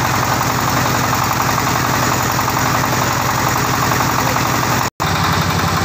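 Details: Tiger 24ND single-cylinder diesel, fan-cooled with electric start: steady, even thumping idle with a fast regular beat and no knocks or rattles; running healthy.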